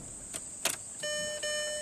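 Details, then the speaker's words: 2005 VW Passat TDI diesel, crank no-start after an engine rebuild: after a 20 A fuel pump fuse is fitted and the key is turned on, a couple of clicks, then a steady electric hum as the lift pump runs normally. "there we go i heard it and let's look at our gauge here"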